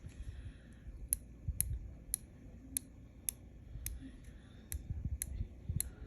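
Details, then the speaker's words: Tsurinoya Spirit Fox 50R/50HR baitcasting reel, magnetic brake with 22 click adjustment positions; crisp, evenly spaced detent clicks, about ten in six seconds, each clean and distinct, brake dial indexing properly. "Clicks so you have 22 Clicks of break adjustments so it's pretty pretty adjustable"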